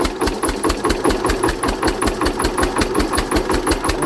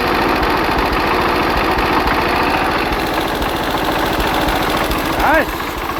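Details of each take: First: Hatz diesel converted to spark ignition on woodgas from a gasifier: sharp hard knock each firing over slow thumping idle; ignition timing too far advanced, later retarded, sounding much better. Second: Hatz single-cylinder diesel converted to Otto cycle on wood gas, after ignition timing was changed by about 10°: steady, even thump at fast idle with no misfires or popping; sounds much better, normal running.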